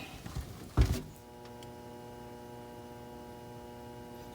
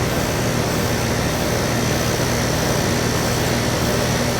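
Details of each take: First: Indoor AC blower on a no-cooling call, with the 7.5 capacitor tested good at 7.6: a clunk at power-on, then a steady electrical hum with no airflow. The board is powered and signalling, but the motor does not turn. Seized blower motor. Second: AC outdoor unit during a no-cooling troubleshoot: even, steady condenser fan whoosh over a constant low compressor hum, no knocks or rattles; fan and compressor both run normally.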